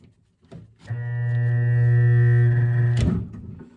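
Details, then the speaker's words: Vintage L&A electric pressure washer barn find, first plug-in with no ground: steady loud mains hum for about two seconds, motor does not turn; noise comes from a solenoid-like contactor in the controls, not the motor. "Made a noise, but it did not turn. Okay, so the noise is not the motor trying to turn. The noise is coming from somewhere over in the controls. It's like a solenoid."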